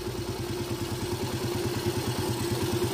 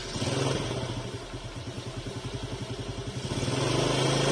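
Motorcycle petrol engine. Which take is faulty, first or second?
first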